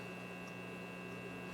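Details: RCA 66X1 multi-band broadcast/shortwave receiver during radio-section troubleshooting: only a steady low mains hum, no stations or static while tuning; the radio section isn't receiving.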